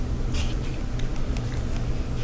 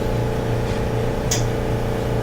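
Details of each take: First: Electrolux dryer after cleaning lint off the blower wheel, whose buildup had caused a rumbling noise. A low, steady rumble with only faint light ticks and no scraping or knocking. Running smoothly after the fix. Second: Electrolux dryer running: a deep steady rumble under the running hum that fades as the drum coasts down and stops when the drum stops; lint and debris collected in the blower wheel.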